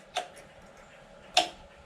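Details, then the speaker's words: 1999 Suzuki Intruder VL1500 after years sitting, ignition on before cranking: two sharp isolated clicks about a second apart from the electric fuel pump priming the carbs until it stops clicking. "there we go it's not clicking anymore so it filled up the carbs"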